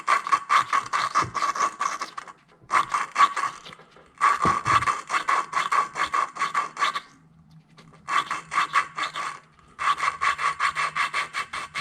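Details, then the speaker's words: Lapping a valve into its seat on a Honda Civic D15B head being built for turbo: gritty back-and-forth scraping bursts, starting to get smoother, stop when grinding stops; seat not yet fully lapped. "uh you can start to hear it getting a little bit smoother that's when i actually end up stopping when you hear that grinding noise stops you're going to want to clean the valve"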